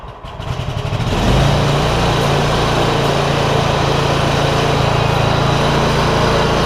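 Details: John Deere ZTrak Z915E, Kohler V-twin, sat 2 years; after carb clean fixed a sticky solenoid causing no fuel. Warm engine revs briefly, then settles into a steady even drone, no misses; normal running.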